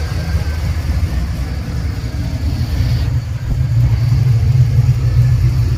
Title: exhaust leak? #automobile